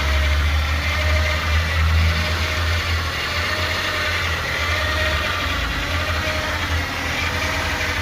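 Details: 2007 Nissan Altima at idle with an irregular pulsing, roughly two beats a second, over the engine hum; abnormal idle noise of unclear cause.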